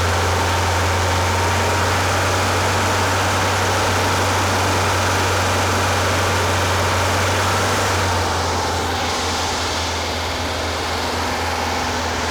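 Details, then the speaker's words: Rebuilt Porsche 912 air-cooled flat-four in a 911: fast, steady idle, even drone, no misses; a little smoky, possible oil leak; over 35 degrees advance at only 2500–3000 rpm; over-advanced timing, fast idle. "but it is running it was running a little fast it is too far advanced i saw over 35 degrees um on max advanced and that was only at like 3000 2500"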